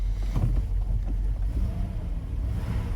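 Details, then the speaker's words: Mercedes W126 (M116/M117 V8) with a hard-start problem, after fitting NGK BP6ES (7811) non-resistor copper spark plugs: fires up cleanly into a deep, even, smooth idle with no stumble or misfire; normal start and idle. "It's all installed, and I'll show you the result of how easy it is to start now."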